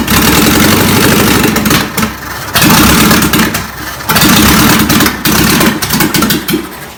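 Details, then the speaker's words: 1959 VW Beetle first start after sitting about 45 years, exhaust rusted out with no muffler: loud raw bark with choppy bursts on throttle blips, open exhaust; carburetor and original distributor need rebuilding. "Sounds pretty good though. No exhaust. Sounds like a hot rod."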